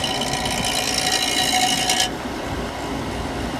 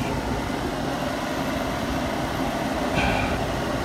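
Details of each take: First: Compressor whose start components had burned up, run after the windings ohm-tested good: harsh high-pitched rattling hiss over the compressor hum for two seconds, then a plain hum; abnormal noise, possibly liquid flooding, not confirmed. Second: Compressor whose start components had all burned up, tested wired common, start and run; once started it holds a steady low hum with no clatter or stalling, running normally.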